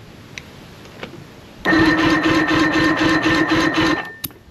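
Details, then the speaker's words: 1974 Thunderbird T190 boat motor cranking during a compression test: steady, even, unlabored chug at about four beats a second. Cylinders read roughly 100 to 120, a little low but judged good enough to run, since evenness matters most. "the trick here is it's not so much What is the compression number as much as it is uh that it's the same on all the cylinders"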